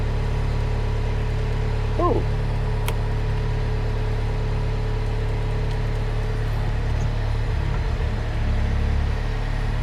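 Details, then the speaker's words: Mustang machine's diesel holds a steady, even idle without cutting out after the seatbelt switch was shorted with wire. "it sorted it oh brilliant okay my issue is the seatbelt switch is gone"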